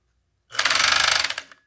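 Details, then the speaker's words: Chinese FN2-7D overlock sewing machine while stitching, always noisy but the noise is getting steadily worse: harsh, fast clatter of about twenty knocks a second, a very loud mechanism; cause not pinned down. "ela sempre fez barulho né mas eu tô achando que esse barulho aumentando aumentando tá demais né"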